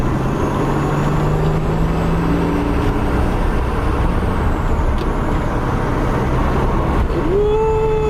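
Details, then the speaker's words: Nissan 300ZX being driven after a PTU change to fix a misfire, with no spark plug change: steady road and engine drone, then a thin squeal rising in pitch. Back-end noises are also heard; possibly the all-wheel steering. The source is unclear. "Oh man. She moving, boy. I know y'all can't see nothing. I don't know what this high-pitched squealing is."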